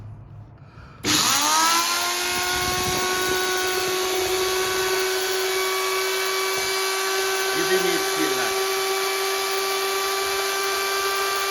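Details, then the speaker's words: 750 W electric planer, cover off, running at no load: steady high motor whine with harsh crackling hiss, heavy brush sparking and burning smell; brush arcing. "Вот случилось у меня такое. Значит, заискрил электрорубанок, причём очень сильно, и пошла вонь."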